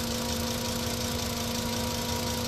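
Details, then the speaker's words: 2008 VW Rabbit 2.5L five-cylinder, 5-speed, 119k miles, idling before an oil change; steady idle with a light, busy clatter over the engine note, hoped to quieten after fresh oil. Clattery idle, cause not pinned down. "so you can hear how noisy this thing is right now kind of clattery so we're hoping after we change the oil we won't hear that"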